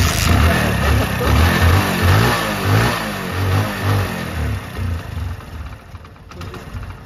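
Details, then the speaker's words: Hero Honda Splendor single-cylinder bike, with tank refitted, starts and picks up but engine surges unevenly about twice a second then weakens and dies, like running out of petrol; intermittent stalling. "कुछ इस तरीके से problem अभी भी कर रहा है ठीक है हर हमने क्या किया जो पेट्रोल भी डाला हुआ है जैसे की पेट्रोल खत्म हो गया है जिस तरीके से उसी तरीके से प्रॉब्लम हो रहा है"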